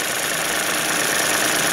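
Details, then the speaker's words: Suzuki DF50 2006 outboard with 297 hours, slightly warmed on a cold day: steady, even idle with smooth airy whir and no knocks or misses; runs normally, though an idle valve tapping was noted earlier. "Отличненько работает. Ну, собственно, что и требовалось доказать."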